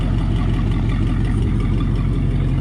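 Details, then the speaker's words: Ford flathead V8-60 in a hot rod kit car (American Austin chassis, Mini T body), first start in years, no clutch installed: steady, even low rumble, no misses or knocks, much quieter than before. Normal idle. "Man, this thing sounds good though. Wow, that's amazing, guys. It's so much quieter too."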